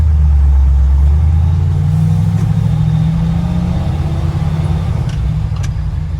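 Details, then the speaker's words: Truck on its first drive after swapping the Eaton 4.56 rear axle for a 14-bolt with 3.73 gears, in second gear: steady low rumble pulling smoothly with no whine or clunk from the back; noticeably quieter, healthy. "can already tell the truck is a lot quieter let's see what first gear feels like"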